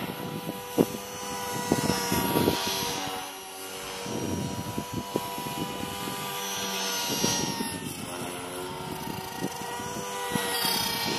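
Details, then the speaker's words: Align T-Rex 450 Pro DFC RC helicopter hovering: rotor whine with uneven rough rattle and wavering tone; bad bearing suspected, unsure whether tail, main or motor, owner guesses tail. "Came closer, but you can hear the ugly sound from the salmon bearing."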